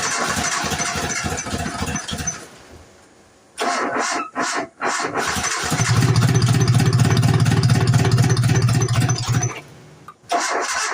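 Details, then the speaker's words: 1990 Nissan D21 4-cylinder 5-speed 4x4: several bursts of even cranking at about four turns a second, each firing briefly then dying; it gets fuel and spark, so the owner suspects ignition timing is out; cranks but won't start. "Out of time. It's out of time. It's got to be out of time."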